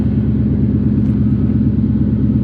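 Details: Factory Five Cobra Roadster V8 that stalled after starting, now running with the fuel pump switched on manually: an even, steady idle with a rhythmic low pulse and a faint constant fuel-pump buzz, a normal idle.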